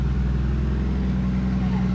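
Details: Toyota Supra just fitted with a new VSS Racing turbo, first run before exhaust is welded up, checking oiling and spinning: steady low idle, smooth even drone, no knocks, whistles or surging; idling normally.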